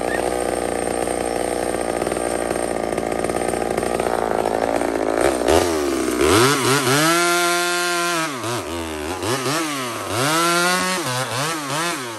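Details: Small Homelite two-stroke chainsaw on a stock chain (owner says a better chain would cut faster) in maple: a steady high scream that sags and recovers as the chain bites and clears. Crisp, normal running under cutting load.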